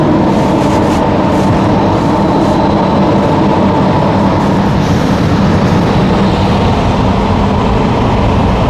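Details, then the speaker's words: Newly installed Webasto Thermo Pro 90 coolant heater, replacing a failed Eberspächer on a Demag AC220 crane, warming up around 70°C with the coolant bubbling. It gives a loud, even roar with no knocks, surging or rattles: normal heater running. "See the coolant bubbling in there. Roaring away."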